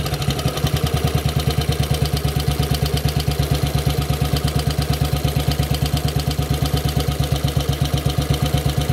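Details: Model 8 motorcycle engine, recorded cold then hot, with fast thumping about three beats a second over a low drone; knock more noticeable at 40 mph and above, cause unknown.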